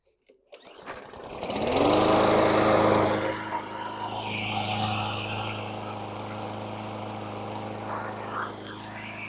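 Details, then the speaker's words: 2018 Bolens 500E lawn mower, primed and pull-started after carburetor cleaning: flares up then settles into a wavering, uneven run; carb not cleaned well enough, partial blockage remains. "fuel okay so that was Tomy times deal I didn't clean out the um cartridge well enough we had some blockage"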